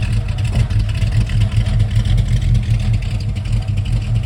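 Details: 1971 Mercury Comet GT V8 with roller lifters and a small cam: rough lumpy chugging at low revs with uneven clack, down on power; suspected failed roller lifters or bad cam, metal fragments and needle bearings found in the drained oil.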